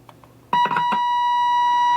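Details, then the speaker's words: RCA 66X1 radio under troubleshooting: a signal injected at pin 3 of the 12SA7 tube gives a clean, steady tone of about 1 kHz with no hum or crackle, controlled by the volume knob, so the signal reaches the speaker. Normal audio output. "there you go you can hear a nice clear signal controlled by the volume control so that means that signal is getting through to the speaker"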